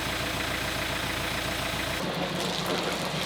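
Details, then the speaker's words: Boat inboard engine test before launch after the wiring harness was rewired (earlier test had wires smoking): steady, even idle beat with no misses, clatter or surging; engine running healthy. "Sounds like the Ambar. Woo! Sounds like a motor."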